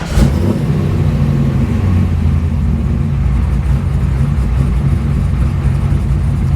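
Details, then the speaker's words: Freshly rebuilt 416ci LS stroker during retuning, warm at 125° coolant temperature: it catches quickly and settles into a deep, steady, even idle with no hunting or misses. A healthy warm restart. "Nice. So, that's pretty solid right there. Uh, I'm not going to touch that at all."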